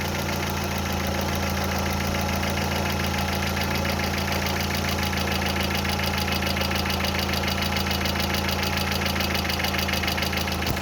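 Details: Quick, even light tapping about three to four per second over a steady idle, hydraulic lifters ticking after water got into the oil. Fully cured by replacing the oil.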